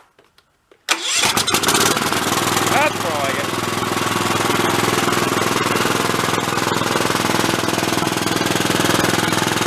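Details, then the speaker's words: 20-year-old Cub Cadet riding mower after freeing a stuck, over-tight choke: cranks, catches within a second and runs a steady putter; slight tinny rattle, suspected internal muffler or muffler pressed against frame. "rattling good it's a little tinny on the way off I think that's internal the muffler rattling a little bit or it might be mushed up against the frame"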